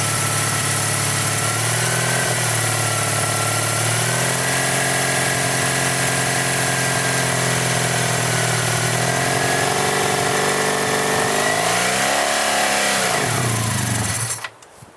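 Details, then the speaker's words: 1985 Honda VF700S Sabre V4 after carburetor cleaning, first run in a long time; steady even idle with smooth rev blips and clean return, running well though idle still needs dialing in. "well that's a pretty good start um probably just need to do that for a while and get the valves seated back in and everything"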